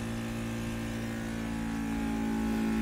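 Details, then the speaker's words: Disen mini 1520 3D vacuum sublimation machine, vacuum pump pulling the plastic mold cover down on a 3-layer cup. Steady electric hum and smooth motor drone rising slightly as the cover pulls down. Normal running. "can see the plastic cover is getting vacuumated. Now it's ready for the sublimation."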